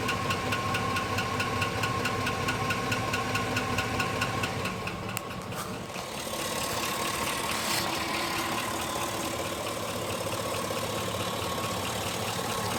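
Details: 2005 GMC Sierra at idle: sharp, regular knocking about twice a second, clear above the engine hum; internal engine knock of unknown origin.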